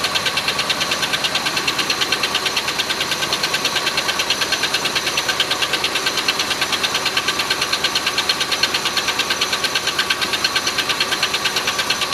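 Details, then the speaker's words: Oldsmobile Silhouette van, jump-started, idling: a sharp, fairly high-pitched knock about three per second. Owner thinks it is too high-pitched for rod knock and still needs investigating; later traced to a loose rocker arm bolt. "Well, I think I'll have to do some investigating and see what that knock's all about. It's seems kind of high pitched to be a rod knock, but I don't know."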